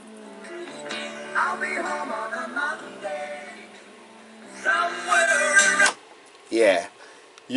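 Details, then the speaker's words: 1980 Technics RS-M5 cassette deck after restoration, playing the stretched start of a cassette, worn from repeated rewinding: music wavers in pitch and level, distorts, drops out and fades in patches; stretched tape wow and flutter, not a deck fault. "can tell the sound the sound is distorted and fades in and out and what have you, so it's really not pretty."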